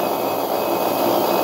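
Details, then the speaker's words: Refrigerator compressor motor direct-started without PTC relay and overload, start and run windings bridged via a push button: loud, steady, even hum with no knocks or stutter; running smoothly. "observemos ahí cómo se quedó ahí trabajando normales así hacemos el arranque directo de un motor de este generador"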